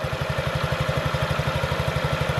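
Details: 2017 Honda Ruckus NPS50 50cc four-stroke scooter after idle adjustment, about 1,380–1,420 rpm on an inductive tachometer: steady, even putt-putt with no stumbles; normal, healthy idle.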